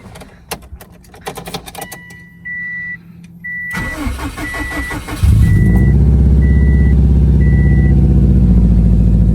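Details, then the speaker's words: Subaru STI on a 700whp build: starts after a few chirps, initially fine, then settles into an uneven stumbling idle with dropped beats and dies; misfire suspected from bad coil pack, spark plug or coil wiring, or rich/lean, unconfirmed. "Oh, here we go. Now it's starting to miss."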